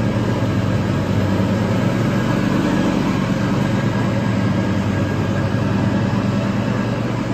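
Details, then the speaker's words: Toro TimeCutter 5000 zero-turn mower after maintenance with the deck refitted, blades engaged mulching leaves: low, constant engine drone, no surging, rattles or grinding; runs healthy. "nicely only the blades get going off just the way it's suppos to"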